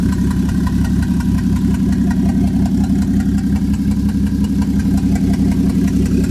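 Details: Freshly swapped Toyota 1JZ turbo engine with an uneven, loping idle pulsing about three times a second and a faint squeak on top. Owner suspects the turbo; misfire or knock is unconfirmed. Vacuum is 18 inHg and it breaks up at 2500–3000 rpm. Rough idle with squeal.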